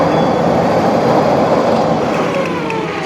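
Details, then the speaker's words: Toyota forklift petrol engine idles roughly and unevenly, misfiring from a current leak at the distributor; the distributor cap was found missing its carbon contact, and the rotor was checked and cleaned, along with a tune-up. "You can hear the engine running rough. It's definitely not working properly."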